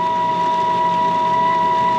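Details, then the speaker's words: Carrier furnace inducer motor making a loud noise, no air gaps seen: loud steady high whine with constant tone over smooth airflow hiss; technician suspects bearings going out and plans to replace the inducer motor. "making that loud noise i was looking i think it may be the bearings going out without looking around i don't see any air gaps not really familiar with that noise"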